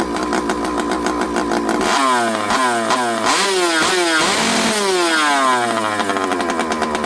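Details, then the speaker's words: Stihl 064 chainsaw on the bench, low-speed jet around 1.5 turns and seeming to want a lot of fuel. Revs hunt with a wandering pitch at low speed, suggesting lean low-speed running; owner suspects it may still need a carburetor. "Let's go 1 1/2. This thing seems to be wanting a lot of fuel."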